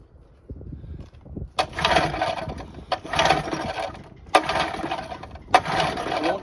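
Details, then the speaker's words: Hot 1984 Johnson 25 HP outboard cranking after running: whirring turnover bursts about once a second with no firing; won't start even on starting spray, so fuel is ruled out and compression loss when hot is suspected; unconfirmed. "It won't even start on spray."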